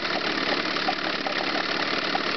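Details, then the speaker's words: Chrysler 9.9 hp two-stroke outboard after backing the low-speed mixture out about a quarter turn to cure a lean misfire: busy, even buzz holding steady speed without missed beats; clean idle, misfire gone. "and you can see the misfire is gone now I'll lean it up a little bit again through the low speed mixture you can hear the engine come up a little bit in"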